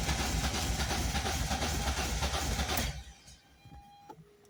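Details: Volvo 480 Turbo no-start after new plugs, leads, rotor and distributor cap, tries to start with fuel added at the intake; steady cranking about three turns a second without catching; fuel pump or relays suspected after long wet storage.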